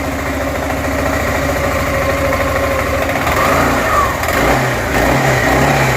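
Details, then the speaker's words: Suzuki Burgman 400 after swapping the old 3-pad clutch for a 5-pad clutch: revs rise and ease back smoothly with a steady drone, no longer the metallic ting-ching as the pads engage; clean clutch engagement. "Oh, that's 1,000 times better. I don't even hear the ting, ching, ting, ching, ting, ching, ching when those 3 would activate. That clutch sounds 1,000 times better than what was in there."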